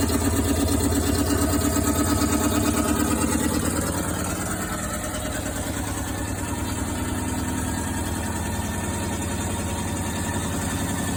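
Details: Washing machine: a steady, regular knocking at about three per second over the hum as the drum turns; something left in a pocket is suspected.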